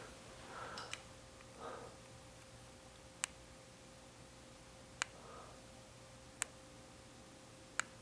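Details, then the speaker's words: Newly installed ceiling fan switched on by handheld remote, light works: only isolated sharp clicks about every second and a half over a faint hum, with no spin-up. The motor tries but never turns. "Isn't that something? It's not. I can hear it trying to go on."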